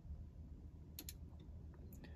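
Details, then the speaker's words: 2010 Mercedes E-Class W207 all-keys-lost job with an Autel IM608 Pro2 and G-Box, ELV disconnected and IR simulator key in the ignition: spaced, sharp relay clicks over a low steady hum during the roughly 20-minute password calculation; normal operation. "you'll hear the G-Box relay clicking that means everything's working and we'll let this calculation do its thing"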